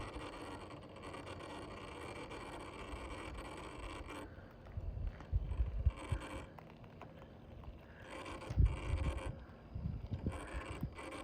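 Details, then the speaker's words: Rlaarlo HY6 RC truck, ESC suspected underpowered and overheating: quiet coasting on a small downhill, then irregular low stuttering pulses while throttle stays steady; motor cogging, cause unclear, stops once ground levels out. "but you'll see here as soon as it comes this little downhill bit, it's going to start cogging."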